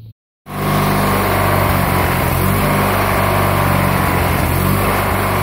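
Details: Murray GT lawn tractor, opposed-twin engine, after stale gas issue, plugs cleaned and carburetor cleaned or swapped: steady, even drone with firm low hum and no misses or knocks; running normally.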